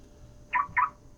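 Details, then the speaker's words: Car lock signal with malfunctioning lock chime, before replacing chime sound file via USB: on locking, two short sharp chirps a quarter second apart with no horn blast; chirp only. "And when I lock it, it only makes the chirping noise."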